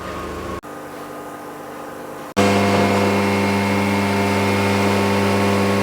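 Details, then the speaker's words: 2001 Audi TT 225 coupe, BAM engine, arriving at its MOT after a drive where it misfired at first: petrol engine idles steadily with an even hum and flat unwavering pitch, sounding healthy. "Beautiful. [Music] Absolutely lovely. And brilliant at idle as well."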